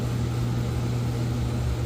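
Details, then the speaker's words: Central AC outdoor unit after capacitor and fuse replacement following a power surge that stopped it. Constant even low hum, no buzzing or knocking; compressor running normally and house cool again. "and as you can hear, it's working. It's running literally. So yeah, my house is cool as it's supposed to be, and everything is perfect."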